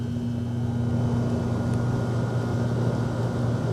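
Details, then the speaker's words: AC compressor that previously would not start, running after troubleshooting (fuse, capacitor, hard start kit checked), inrush current measured 24 A, running about 7 A: steady low even hum with no clicking or labouring; normal compressor running. "24. Wow. Started immediately. That's amazing."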